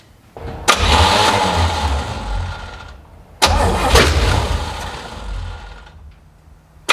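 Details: 1970 Chevy C10 parked 10 years, new rubber fuel lines and filter, carb primed: two cranking bursts catch and fire a couple of seconds then die; float bowls not yet filled with fuel.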